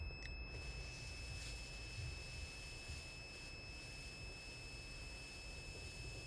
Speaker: But once it goes above 40 degrees, the buzzer, as you can hear, is buzzing, and my gauge has turned red because it has gone above 40 degrees.